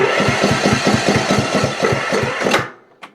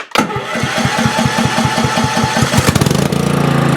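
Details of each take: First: Cub Cadet CC30 H riding mower with MTD PowerMore engine, battery possibly a little low: starter turns the engine over in an even rhythm of about two to three beats a second but it never catches; crank no start, no spark from a faulty ignition coil. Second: Cub Cadet CC30 H riding mower with MTD PowerMore engine, previously turned over but would not start, after repair: cranks briefly, fires and holds a steady, even drone for a few seconds; runs pretty decent.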